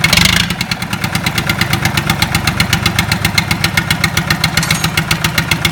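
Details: Lister Petter SR3 air-cooled diesel start-up after rebuild: catches at once and settles into an even, steady chuff of about seven beats a second with no knocks; healthy running.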